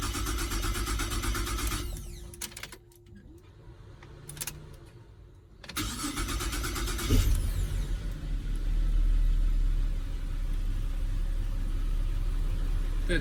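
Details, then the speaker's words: Holden Commodore VZ, formerly no crank with modules swapped, now on the original key and original modules after battery reconnect: brief cranking, a pause, then it catches and settles to a steady idle. Normal crank and start. "our original key with the original modules is going to do wow that sounds like a bit of a start"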